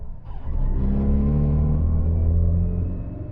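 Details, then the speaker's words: Great Wall Wingle (V240) camper, Mitsubishi 2.4-litre petrol, accelerating in traffic: heavy, droning low roar climbs under load, coarse and booming through the cabin; serious NVH, harsh and unrefined. "yeah there's some serious NVH issues going on that sounds extraordinarily awful"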